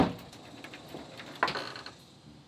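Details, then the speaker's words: Door deadbolt being thrown during a home remodel: a few dull wooden thuds as the bolt hits the jamb instead of sliding home, with no latching click; the bolt is not fully extending, the door is not secure and needs realigning. "you hear that I did that's the sound of a deadbolt hitting the jamb and what that means is that this is not secure this could be opened easily"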